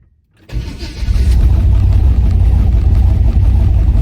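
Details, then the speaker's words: 1980 Chevy C10 V8 after ignition timing retarded slightly (was too advanced) and battery charged. Quick crank, then it catches and settles into a deep steady rumble: starts cleanly and runs healthy, much better than before. "I messed with the timing a little bit too and I put a charger on the battery so I want to show you guys how much better she's starting right now you"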